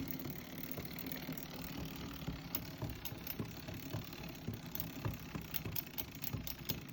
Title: Dziwne stuki nowego napedu XT M8000 part 2 (Strange knocking sounds from Shimano XT M8000)